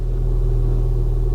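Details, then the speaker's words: Ford Fiesta ST, former non-runner, first start after oil and water checks: smooth, even low rumble with steady deep hum, no ticks, misses or knocks; idles cleanly and sounds really good. "oh hey that sounds really good"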